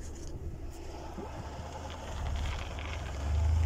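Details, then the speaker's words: Ford Expedition (2007–17) rear limited-slip differential after treatment with friction modifier, fresh oil and cleaning: low, smooth driveline rumble building with speed, no chatter or shudder on full turns where it previously grabbed and made loud noise; normal. "يعني اول كان لما لف شيء بسيط بس كذا كان يطلع صوت قوي، الان ما في صوت، ها ما عاد في صوت"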